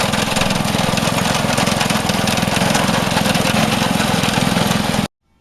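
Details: Vintage Craftsman 18" snowblower, rebuilt 3.5 hp Briggs single-cylinder, after carb fine-tuning: steady, even buzz at high speed with no surging or hunting until shut off; running properly.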